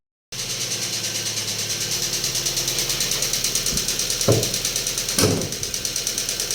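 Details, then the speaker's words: Daewoo Lanos engine at idle with steady rapid metallic ticking that never fades, even after the owner replaced the hydraulic lifters; a fallen-out oil gallery plug cut oil pressure, starving the lifters. "о така історія і звук цей не зникає що ж будемо розбиратись смисл в тому що власник гідрики міняв нічого не змінилось взагалі"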